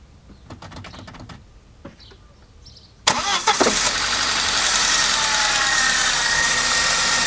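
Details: Saab 9-5 cranks, starts and idles with a fast, fairly even ticking and a hissy upper edge; cause unknown.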